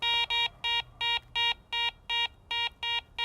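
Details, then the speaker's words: ACE 400 metal detector with a gold ring target: ten short, evenly spaced mid-pitched beeps, about three a second, over a quiet background; the mid-tone for target ID readings 33 to 75. "next for the mid-tone i've got a gold ring mid-tone is anything reading from 33 to 75"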